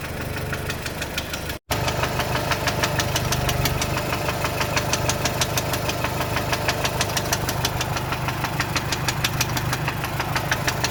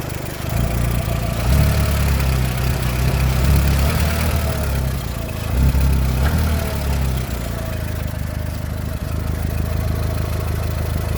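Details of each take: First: VW Golf 4 1.4 16v petrol at idle: sharp, steady knock about three times a second from worn connecting rod bearings, before replacing the bearings. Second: VW Golf 4 1.4 16v petrol: smooth idle with a low, even hum and no knock, after connecting rod bearing replacement cured a knocking sound.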